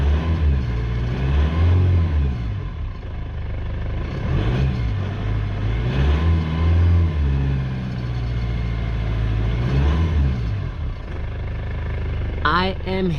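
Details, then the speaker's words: Foton Tunland Cummins 2.8 diesel revved after refurbished injectors fitted: climbs and falls cleanly through several blips, no knock returning; healthy. "I'll give it a REV now and then we'll hear if it makes that knocking sound again but so far it sounds sounds good sounds really good"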